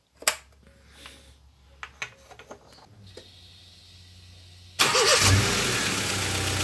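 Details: Honda Civic 1.4i started right after an oil and filter change, oil filled to the top: clicks and handling, then the engine fires and settles into a steady, even idle with no knocks or ticks; sounds healthy.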